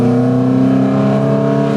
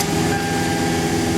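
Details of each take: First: Toyota Highlander with clogged catalytic converters, catalytic oxygen sensor unplugged and air box opened, driven; a loud droning note under throttle drops at a shift, engine bogs and shifts poorly, restriction suspected. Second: Toyota Highlander driven on the road after its clogged catalytic converters were replaced; a steady, even drone with no knocks, rattles or misses, smooth as it was before the converter issues.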